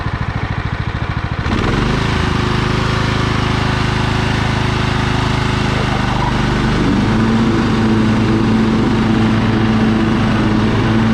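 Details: Husqvarna LT1538 with Kohler CV15S engine, after carburetor cleaning for surging caused by old ethanol fuel; battery dead and charging unverified: it catches after a few cranks and settles into an even, steady beat, stepping up cleanly in speed without hunting.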